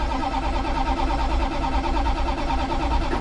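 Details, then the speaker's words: 1965 Plymouth Satellite after sitting a while, accelerator pumped several times, no choke: a steady, uneven starter churn for several seconds with no catch. Long cranking without starting; owner suspects he flooded it. "No choke, because I'm so smart. Come on, girl. I don't have jumper cables, probably flooded it."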